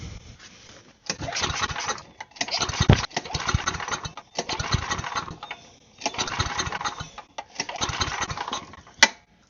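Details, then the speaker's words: Side-shaft small engine for a go-kart, fuel line had been cut: repeated short cranking bursts with gaps, never catches even with choke; owner suspects a stuck bowl or float, and no fuel reaches the bowl, so fuel starvation. "I wonder if I got the bowl stuck somehow, or the float, and maybe it's not getting fuel."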